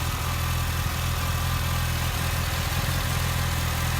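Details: Mitsubishi Lancer petrol engine after fixing P0300 misfire (rough idle, shaking) with new NGK iridium spark plugs: steady, even low idle hum, no stumbles or sputters.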